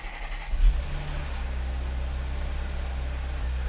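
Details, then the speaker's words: Audi S5 rebuilt after a blown engine, with upgraded 034 Motorsports pistons and the exhaust refitted, check engine light still on: on cold start it settles into a deep idle that stumbles slightly, a mild misfire, with ticking from the high-pressure fuel pump. "So Oh, it's misfiring a little bit on cold start. Sounds super healthy. That ticking that you're hearing is the high-pressure fuel pump."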